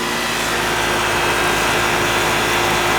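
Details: Old Goodman AC condenser unit, not cooling, returning service call: steady even fan roar over constant compressor hum, no knocks or rattles; normal running.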